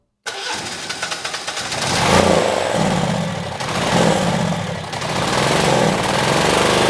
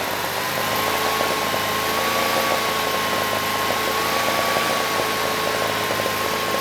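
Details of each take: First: Generac standby generator (model 0058751), 999cc engine: catches and runs but surges and sags, won't reach speed even at full throttle, seems to need choke; owner suspects vacuum leak from removed choke through-hole. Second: Generac standby generator (model 0058751), 999cc engine (0J9333) with reported low oil pressure shutdown, gauge reads 50 PSI, oil was low: even steady drone with faint wavering whine, no knocks or misses; idle set screw maxed out; normal running.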